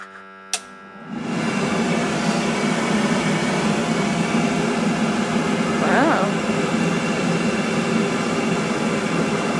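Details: Commercial oil boiler burner rated 100–267 kW, set to minimum (100 kW), fed from a bunded oil tank, at start-up; fan spins up after a click into a steady even rush with low hum, no rattle or scrape; normal pre-purge.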